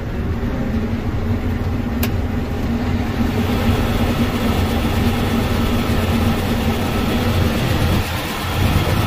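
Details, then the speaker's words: Combine harvester separator running with doors open after sensor repair: steady, even low hum with dust out the back, no knocks, squeals or grinding; combine judged fixed and normal. "we got dust out the back i don't hear any strange noises"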